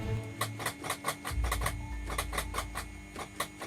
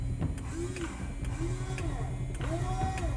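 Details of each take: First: 2007 Liberty XL-2 aircraft with FADEC, parked neglected for years with bird droppings on starter connections: fast dry clicking about four a second, engine never turns over; owner suspects starter solenoid, connections then cleaned. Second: Electric fuel pump switched on in a 2007 Liberty XL-2 light aircraft, parked neglected for years, battery at 12.3 volts. Steady low hum with a soft rising-and-falling whine and light ticks, even and unbroken; normal fuel pump priming.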